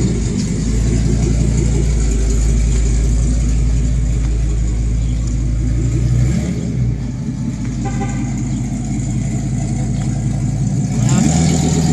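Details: Camper vehicle running without its catalytic converter, which was missing: deep, loud booming exhaust drone with coarse low throb at idle, far louder than stock.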